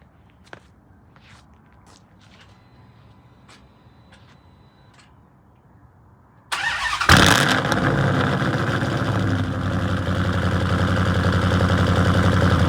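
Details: Cammed V8 first start after Edelbrock intake manifold swap with 92 mm throttle body, fuel primed, heard from the rear: quiet, then starter catches into a loud, choppy big-cam idle; healthy running.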